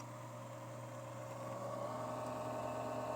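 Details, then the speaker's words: Casper Excalibur laptop, bottom cover on, noise starting even without load: low steady hum with thin whine climbing midway; ill-fitting non-original cooling fan lubricated with WD-40-type spray is damaged, risks chipset failure, needs replacing. "tabii ki bu ses kullanıcısını rahatsız etmekte ve cihazın İlerleyen zamanda uzun vadede bilhassa çipset arızasına düşmesine de sebebiyet vermekte"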